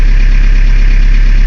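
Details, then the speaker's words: 1981 Chevy LUV 4x4 diesel: starts right up, steady even low diesel clatter with no misses or knocks; healthy normal idle, no warning lights on the dash. "go and start it up for you starts right up idle's nice no warning lights"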